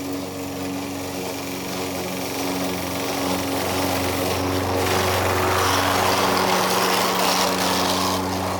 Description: I am mowing the lawn using an old Toro Recycler with a Bad transmission. So it is making lots of grinding noises as I am mowing.